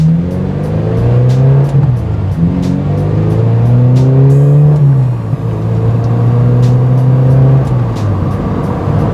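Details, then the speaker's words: NC1 Mazda MX-5 Miata, about 20 years old, on a test drive after replacing brittle coil and plug wire pigtail connectors for a low-RPM hesitation in lower gears. It pulls nicely, the engine note climbs cleanly through each gear with no stumble; everything sounds good. "pulls nicely. Everything sounds good."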